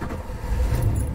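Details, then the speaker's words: 1980 Dodge B300 Sportsman camper, 3-speed column shift; fuel pump runs, three throttle pumps, then the V8 starts with a deep steady rumble that settles evenly, a normal start and idle. "ça démarre. Ça démarre. 1980. Et là, il tourne. Génial."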